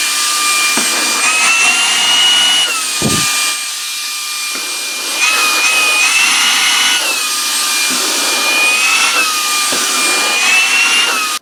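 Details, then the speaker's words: Shark WandVac WV201 handheld vacuum after repair: motor jammed by vacuumed-up baking soda, cleared by vacuuming out the motor; now a high, steady whine rising and dipping slightly with airflow, no chirping or cutting out; motor spins freely. "so now we have a free spinning motor let's put it back together and see if it actually works"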